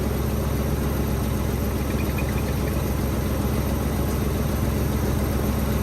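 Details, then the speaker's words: Nissan Hardbody pickup, odometer about 185,000, bought at auction and sat for months, started on fresh gas and a hot battery; steady, even idle with a smooth low beat, no knocks, misses or ticks; runs healthy. "well it took a little bit but she finally hit off sounds pretty good too I hadn't heard it running since I got it"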